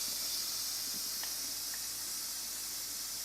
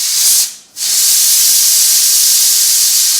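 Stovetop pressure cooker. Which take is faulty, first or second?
first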